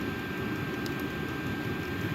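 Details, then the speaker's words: Vevor 8kW Chinese diesel heater, two years old, ice-clogged exhaust cleared, level 10, about 20 minutes running, element 221°C, 11.8 V, 9°C tent; steady burner roar with constant fan hum, no pulsing, clean normal combustion. "I put it up to level 10. And we're burning clear with no soot."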